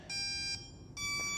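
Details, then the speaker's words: HobbyZone AeroScout 1.1m RC plane, already bound: speed controller gives two quick bursts of high multi-tone beeps at power-up ("two dances" means SAFE is active); normal power-up beep sequence. "you hear the different beeps the different series of beeps the different dances things like this you're gonna get used to this it's all part of the normal show"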